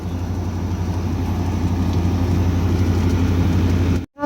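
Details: Daikin 1-star air conditioner FTKF09XV2S outdoor unit after reinstallation, vacuum and 360 g R32 charge: steady low hum under an even fan rush, no rattles or cycling; running normally.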